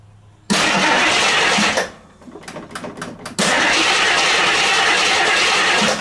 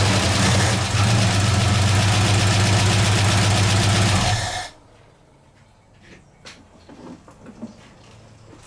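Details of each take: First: 1969 AMC Javelin, 290 V8 with old fuel and a carburetor accelerator-pump fuel leak: starts, runs briefly, dies, cranks several times, then catches loud and ragged; misfire from loose spark plugs, later found loose. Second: 1969 AMC Javelin 290 V8 with fuel leak and old fuel, after tightening three loose spark plugs and reseating a plug boot: steady even idle with no stumble or miss, then shuts off; previous miss gone.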